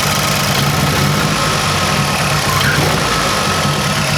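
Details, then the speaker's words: 2006 Mazdaspeed 6 idling, recorded at the engine bay: loud idle with a rough, uneven beat under the exhaust roar, the engine stumbling and shaking and reeking of fuel; a bad misfire at idle, cause not yet confirmed. "I don't know if you can tell there, but there's like a misfire, like a pretty bad one. Yeah, even the engine was doing one of these jobs. Like the whole thing was shaking a little bit."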